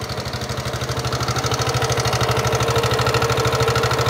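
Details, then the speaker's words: Yamaha NMAX scooter, engine recently repaired with piston replaced: rough idle with a steady pulsing knock about three a second plus a tinny rattle; rough noise from the main engine, cause not confirmed. "motor teman-teman nmax suaranya kasar pada bagian mesin utamanya"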